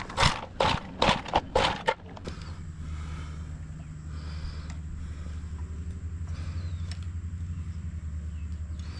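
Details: Trash-found edger engine said to burn oil (suspected bad piston rings, oil once overflowing), running without carb cleaner after carburetor screw adjustments; uneven, lumpy small-engine idle; runs rough, likely needs further mixture screw adjustment.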